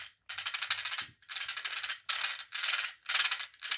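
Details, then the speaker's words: Redcat Volcano 16 mini monster truck converted to brushless, 2S 1000 mAh LiPo: harsh, gritty gear noise on each throttle blip, loud like a metal spur despite a plastic spur; poor motor-to-spur mesh, motor mount not adjustable. "it's pretty loud and it's doesn't have a metal spur gear it's a plastic spur but it almost sounds like it has a metal spur in it and that's because the motor mesh is not adjustable on this truck which is unfortunate"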